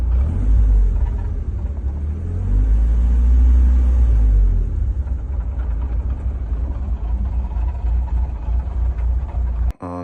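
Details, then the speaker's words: BMW E36 drift car at idle: heavy uneven low rumble swelling and dropping, rough and lumpy; owner suspects the dual-mass flywheel has gone; next morning it would not idle. "uh yeah as you can see it doesn't sound too good video you can see that I think that the Dual mass is gone as well kind of noise that it's making"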